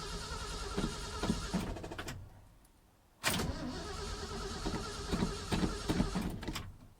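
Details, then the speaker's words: 1978 Ford F-250 first cold crank in about three months, very bad battery just put on the charger: slow, uneven starter bursts, pause, cranks again without catching; weak battery in the cold suspected, not confirmed. "go come on truck no damn it"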